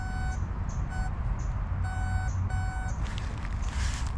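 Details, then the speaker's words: Garrett Sea Hunter Mark II pulse-induction detector, coil kept moving over bottle cap and pull tab targets: clean mid-pitch beeps in short bursts, about four in four seconds, loudest when target is mid-coil, over low rumble; normal target response. "This is a pulse induction, so you have to keep the coil moving. So when it goes over, when it's the loudest, it's in the middle."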